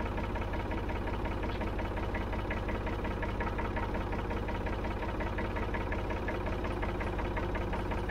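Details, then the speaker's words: 1965 Ford 3000 diesel tractor, first start after about 10 years sitting: heavy, even diesel clatter at idle with hard knock nearly three times a second; loud and rough, cause unclear. "all right so it's alive it's alive very noisy but alive"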